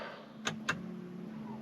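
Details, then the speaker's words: Polestar 2 parked in garage, heard from the cabin and earlier outside: two quick soft clunks over a quiet cabin hum, just the brake noise: normal brake system noise. "That's just the brake noise."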